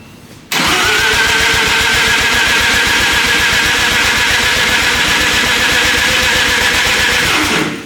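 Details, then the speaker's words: Lamborghini Diablo replica with 13b turbo rotary swap, first start attempt: starter spins fast and even for about seven seconds with no firing; cranks but won't start, ignition timing suspected off after being set by guess. "all right first start obviously didn't work because we think we had the timing a little bit off"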